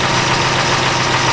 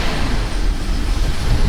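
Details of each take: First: Chrysler Town & Country 4.0 with a rich-running, hard-start complaint and evap codes, idling while warming up after the temp sensor was fixed, fuel trims near zero: smooth, even idle with a steady low drone and no ticks, knocks or stumbles. Normal idle. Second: Chrysler Town & Country 4.0, hard start with a long crank, strong gas smell, flashing engine light, P0128 and evap codes: loud lumpy idle right after start-up, as if it had a bad injector; running rich from a faulty coolant temperature sensor.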